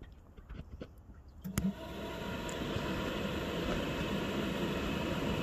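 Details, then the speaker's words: VW T4 1.9 TD cooling fan test, thermostatic switch terminals bridged with wire, ignition off: a few clicks then fan spins up to steady even whoosh with faint hum; fan healthy, runs and stops as terminal is linked and removed. "for the shaking but you can hear the fan running now remove the terminal fan goes on back on fan"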